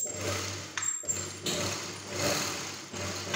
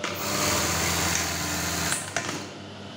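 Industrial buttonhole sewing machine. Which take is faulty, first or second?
first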